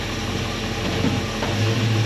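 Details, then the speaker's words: 1964 Chevelle V8 with Holley carb after working on a fuel delivery problem, idling in gear at 700 rpm: steady, low, even burble, no misses or knocks; normal idle. "what's the RPM look like RPM 700 that's pretty happy 700 is a good RPM and it sounds"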